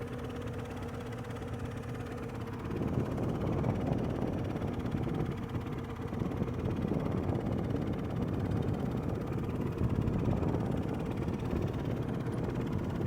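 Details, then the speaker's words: Yamaha 90 HP outboard on sea trial, under way: lumpy, uneven, ragged beat that never settles, sounding like it runs on two cylinders; limp mode or carburetors suspected, to be checked. "So it's not sounding too good right now. Let's get it out a little bit and see what it sounds like. Whoever the gentleman was that said it sounds like it's running on 2 cylinders, that's what I'm hearing."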